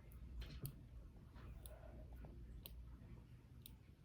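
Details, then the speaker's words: Omnipod insulin pod, freshly filled and connected, giving faint soft ticks about once a second in a quiet room as it primes normally before needle insertion. "so now it's getting ready to insert the needle is getting ready to insert into his arm you're gonna hear the click"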